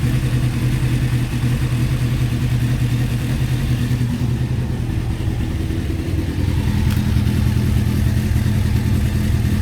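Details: Honda CBR600F3 carbureted motorcycle, warmed up, no choke, exhaust temperatures checked per cylinder: uneven, lumpy idle, loping about three pulses a second over low exhaust drone; cylinders firing unevenly, large temperature difference between cylinders, cause not confirmed.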